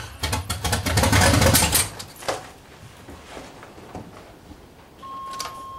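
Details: C30 383 stroker V8 with a new high-torque racing starter replacing the stock one: quick, even cranking chatter about four beats a second for a couple of seconds, then it catches; starter spins strongly, normal cranking.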